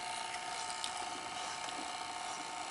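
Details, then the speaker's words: Sony SLO-420 linear-stereo Betamax VCR playing a Beta 1 test recording during repair: quiet, even mechanical whir with faint light ticks, the tape transport now running smoothly and normally. "Yeah, it's starting to act like it's supposed to now. So I'm just going to let it play for a while."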